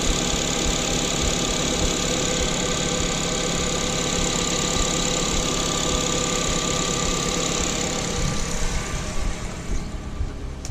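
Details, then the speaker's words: Mazda 2 just after a CorkSport short ram intake install idles steadily with a smooth low rumble. It has dropped from fast idle, with no hissing or whistling from the intake, so it sounds healthy. "okay so that sounds good there's no weird hissing nothing sounds like there's alley closing and she's come down from the fast-idle starting to neutral for clutching anyway"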